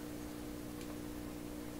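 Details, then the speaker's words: 1928 RCA Victor Model 28V tube radio after installing rebuilt capacitor cans, on a dim-bulb limiter at about 100 volts: steady low hum of fixed tone, unchanged from before the capacitor rebuild; mains hum persists. "You can hear the radio. Turn it up. It's still humming the same way it did before."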